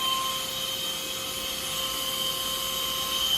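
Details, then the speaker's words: Flooded chiller at first start-up, guide vanes 100% open, suction valve nearly closed, about 37 amps, loading hard: high steady compressor whine with shrill tones, pitch shifting as the control is adjusted. Compressor pitch change under loading. "I haven't even gotten into the middle of that click and I can hear it changing a lot."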